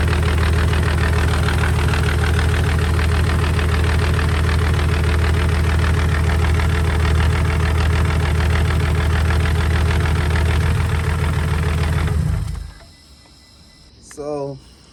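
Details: First run of a temporary replacement engine (original block destroyed), fuel pump fuse refitted, logged with HP Tuners: deep idle pulsing about 200 per minute with a slightly uneven, lumpy beat before shutting off. The owner suspects a vacuum leak, possibly the plugs.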